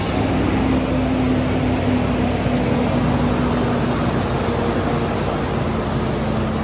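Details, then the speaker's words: Supercharged Land Rover Range Rover L322 V8 idling rough right after restart, with uneven stumbling rumble and faint whine; lean codes were cleared beforehand, dirty MAF was cleaned, slight smoke and a small exhaust leak noted; misfires persist. "see if that's still running rough yeah it still doesn't sound good"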